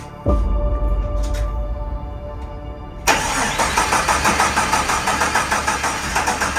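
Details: 1972 Jeep Commando with swapped 2000 Cherokee 4.0 straight six, AW4 and 231 transfer case, first start after fixing junction block wiring: cranks about three seconds, catches and settles into a steady, even run with no misses.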